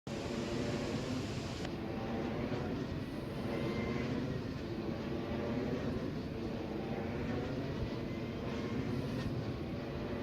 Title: Vensys Ve 112 abnormal sounds